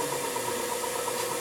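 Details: Semitool 270-F spin rinse dryer, refurbished to like-new, running: smooth steady spinning hum with an even airy rush and fine regular ripple, no knocks or scraping. Normal, healthy running.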